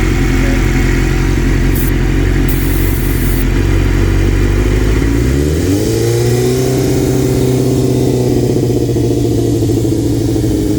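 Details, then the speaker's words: 1997 Suzuki GSXR750 after head rebuild, pilot screws fully out, starting fluid sprayed under intake manifold: lumpy idle, then revs surge near six seconds and hang high; dried O-ring between intake manifold and head causing air leak, lean hanging idle. "So, it has a dried O-ring in between the intake manifold and the head. So, we couldn't have known that before, but uh yeah, that air leak is causing a lean condition, causing a hanging idle."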